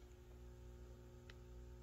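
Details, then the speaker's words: Peavey VB-2 all-tube bass amp with a Digitech BP200 digital pedal in the effects loop: low steady mains buzz with stacked tones and one click; an active buffer is needed in the loop to drive long cords. "you need to have a buffer an active buffer in the effects loop to drive long cords if that's how you have your equipment set up"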